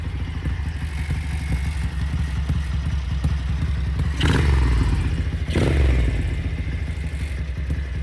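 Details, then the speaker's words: Ducati Darmah bevel V-twin, carbs synced: at fixed small throttle the lope creeps up twice in surges without opening; revs run away. "A little bit of throttle, it just starts rising and rising and rising. Not turning it anymore."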